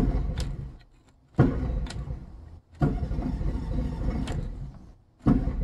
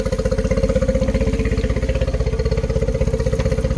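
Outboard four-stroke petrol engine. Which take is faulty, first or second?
first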